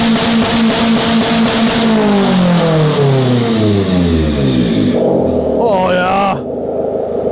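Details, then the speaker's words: Honda engine restarted after welding directly on the ECU with ground clamp on the motor: revs drop smoothly from high to idle with a clean, steady whistling note, no misses or knocks; runs healthy. "like a top just listen to her whistle"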